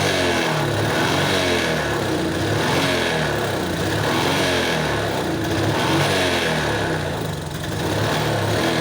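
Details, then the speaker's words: Suzuki Smash motorcycle, hard starting: repeated throttle blips where revs rise unevenly and stumble instead of climbing cleanly; hesitation on acceleration with many possible causes, degraded battery and unfused direct wiring noted. "กลับก็อาการเร่งไม่ค่อยขึ้นนะครับเร่งสะดุดนะครับ"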